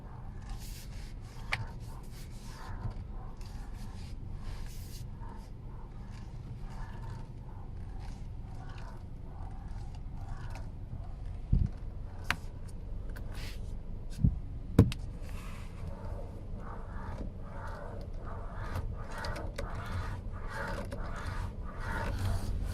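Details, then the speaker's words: 2019 Hyundai Kona 2.0-litre, 25K on the clock, at idle: repeated groaning creaks as the steering wheel is rocked back and forth, from the lower steering column; faulty steering column assembly needing replacement. "now listening to that when rocking the wheel back and over gave me a very clear indication as to where the noise was coming from"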